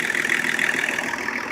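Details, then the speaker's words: 1984 Lincoln Continental turbo diesel running after reassembly, on its thermostat-controlled high-idle system, with the fuel mix leaned slightly. Steady, even diesel clatter at idle with no misses or odd knocks; sounds like a normal diesel. "so don't sound too bad to me it sounds like a diesel"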